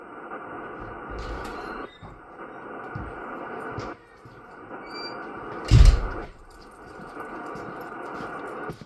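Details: Ham radio receiver picking up a steady raspy buzz over the hiss that persists even with the breaker thrown; the source was later traced to a Ryobi battery charger radiating interference through the electrical system.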